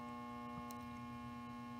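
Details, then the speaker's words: Tube guitar amp with all knobs at zero: steady low mains hum picked up by an unshielded wire from the first-stage plate via the coupling cap to the gain pot. Hum diminishes when the wire is moved; shielded cable is planned as the fix. "I'll move this around generally a little bit let me get it down a stick you can hear the noise diminish that's an unshielded wire that's coming right off of this is"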